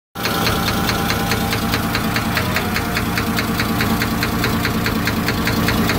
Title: Engine knock